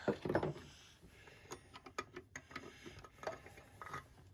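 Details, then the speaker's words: Windolph chain tread tractor bevel drive gear bearing spun by hand after removal: uneven scratchy clicks and gritty rattle slowing as it coasts, with noticeable play; rough bearing. "yeah you can hear that I don't know if you can hear it but the bearing is rough it's got a fair amount to play in it"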